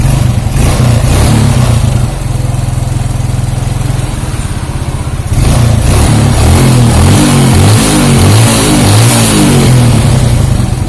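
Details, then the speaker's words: Suzuki Shogun 125 cold, which turns rough and ticks after 5–10 minutes warm: steady even low putter with clean throttle blips, no ticking or rattle; cold engine runs smooth. "Oke untuk lebih jelasnya kita dengarkan posisi suaranya waktu dingin ya bagus tidak ada kenalan temen-temen waktu dingin tidak ada kendala ya"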